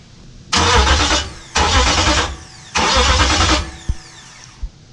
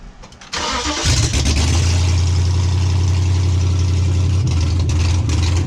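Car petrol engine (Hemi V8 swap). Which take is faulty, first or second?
first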